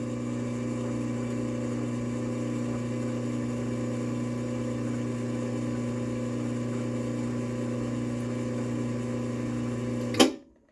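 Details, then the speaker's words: Cornell MGRL3311E rolling steel door operator run with remote: steady low electric hum with gear whine held evenly for ten seconds, then a clunk as it stops; unique-sounding but normal running. "It's got kind of a unique sound to it, I guess."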